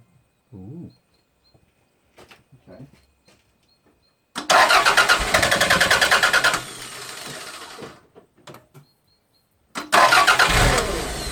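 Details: 1992 Toyota MR2, parked about six months, with a history of ignition faults and stalling after a few minutes of running. Steady starter cranking at about three and a half beats a second, twice, with no catch. Crank, no start; fuel pressure reads about 40 psi.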